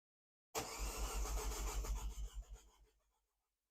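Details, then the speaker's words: Freshly rebuilt Mini JCW engine, first start attempt after cylinder head refit and timing, coil packs reconnected: starter churns heavily about two seconds then winds down without firing; crank no start, owner wonders why it isn't sparking. "Oh, that's struggling. What's going on there? Why didn't we start?"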